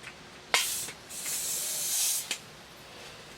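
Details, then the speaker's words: Window AC unit being recharged with R-152A (computer duster) through a can tap connected to a gauge set: sharp hiss rising in bursts with handling clicks; refrigerant leaking at the can tap valve. "sort of so this thing's not too great i mean you can hear it leaking but it punctures the can and allows you to hook it up to a gauge set"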